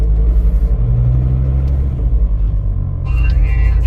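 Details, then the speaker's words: Turbo VW Rabbit 2.5L after a new 3-inch stainless catless downpipe with a Vibrant bottle-type resonator: a deep, steady, still pretty loud idle rumble with an even beat and no leak rasp. Normal exhaust note. "Still pretty loud. 3-inch stainless catless downpipe with a vibrant bottle type resonator."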